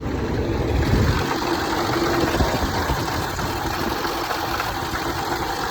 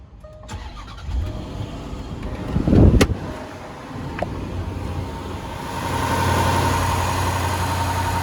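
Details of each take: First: Land Rover 5.0 or 5.0 supercharged V8 at startup: loud, fast, uneven clattering rattle over the idle like loose metal; worn timing chains and guides. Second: Cold start of a 5.0 V8 Rover with timing chain and guides checked: quick crank, catches promptly into a steady idle, no chain noise, slapping, hissing or clacking, just normal valve train and injector noise; healthy cold start.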